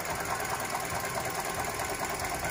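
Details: Toyota Grand New Avanza, 1NR-VE engine at idle, listened with a stethoscope at the engine front: fast, dense ticking clatter with gritty whirr; traced to the alternator, possibly its shaft/bearing, not water pump. Alternator noise.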